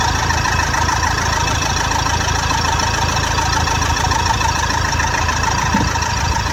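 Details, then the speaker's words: Toyota Fortuner diesel after repair of faulty injectors, which had caused heavy misfire: steady, even idle with light regular clatter and no stumble; the engine is now running smoothly on all cylinders. "बंद कर गाड़ी start कर दे सकते बरोबर है एकदम ऐसा भी मैंने इस निकाला पूरा मिंग कर था गाड़ी अभी एकदम परफेक्ट है"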